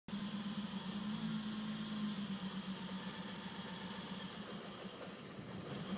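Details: BMW E34 M5 idling: low hum that wavers and stumbles unevenly instead of running smooth; a rough idle, described as a small issue, cause not clear.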